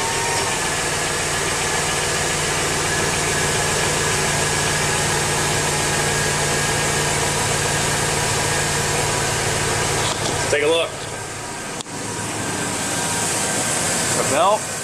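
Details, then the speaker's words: 2002 GMC Yukon Denali at idle after replacing the serpentine belt with the correct one (plus tensioner, idler pulley, alternator earlier): steady even idle hum, no squeal or chirp; belt squeal fixed, running normally. "running good they seem to be operating that might just be a win"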